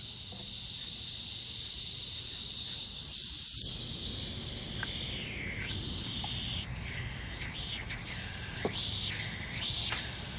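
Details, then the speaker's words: Serviced shop air compressor running: constant high hiss over faint machine hum with brief surges; air apparently leaking at a fitting. "okay it works all right i'm confused but happy but this appears to leak here"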